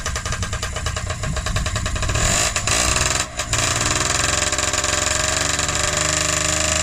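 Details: Freshly rebuilt Honda QR50 two-stroke started outdoors in the yard, oil topped up, little petrol in, new carb fitted: crisp, even buzz holding steady with a quick blip midway, no misses or rattles; normal running.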